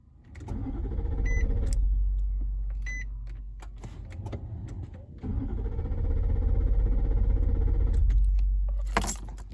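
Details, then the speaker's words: 2014 Nissan Armada with an intermittent starting problem: two spells of steady, even starter cranking at a brisk rate that never catch; the engine cranks but will not start. "that cranking sound there that is the engine cranking it will not start"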